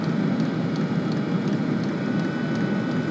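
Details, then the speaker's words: Webasto heater running on the Orbasto replacement ECU board in burning mode, with hot water circulating. A steady, even burner roar with a faint regular fuel-pump tick about three times a second. No errors; the heater is burning normally. "so it's quite happily running just now and as far as it's concerned there's no errors"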